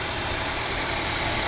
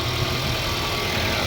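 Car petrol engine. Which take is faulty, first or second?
first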